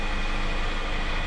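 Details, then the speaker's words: Subaru with engine running and steering turned: loud steady groaning drone with steering jerk; power steering pump noise from low fluid and air in system, bubbles in reservoir, a leak somewhere. "And you can feel a jerk in the steering. It's really loud. So this is due to air in the system, low fluid, power steering fluid."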